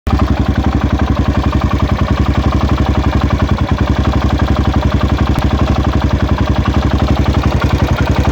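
Heavy, even thumping at roughly four beats a second rides over the idle; something is off, but the cause isn't clear.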